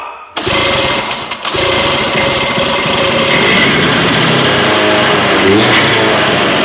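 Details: 1971 Ski-Doo Olympic snowmobile revived with new parts, started on choke: after a short pull a raspy high-pitched two-stroke buzz catches and runs steadily.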